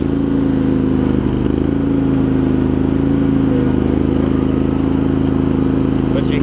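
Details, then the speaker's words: Craftsman garden tractor with Kohler CV20 engine, warmed up, after carburetor cleaning, ignition switch and deck belt replacement: steady single-cylinder thrum, no surging, blades engaged quietly; slight bogging under load, running normally. "it's not surging or anything once it Finds Its Groove it's good and then we turn the blades on pretty quiet too not a lot of bear"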